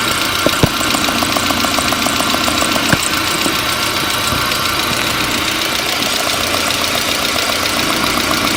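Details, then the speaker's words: Fuel injector on a four-injector engine, heard through a mechanic's stethoscope or a screwdriver held to the ear, during a leak check. Fast, even ticking over engine hiss, consistent across all four injectors, all judged in good shape. "all four of these injectors are in good shape but let's go ahead and listen to all four so you can hear the consistency"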